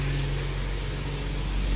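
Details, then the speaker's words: Jaguar XJ-S V12 HE idling, mic at right-hand tailpipe after re-jointing a cheaply repaired exhaust: steady low drone under smooth idle; owner suspects a rear box blown by revving to 5,500 rpm. "this is the right hand tail pipe there is a slight bit of a drone underneath but you can definitely hear it"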